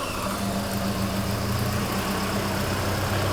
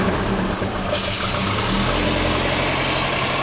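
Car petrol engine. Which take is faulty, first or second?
second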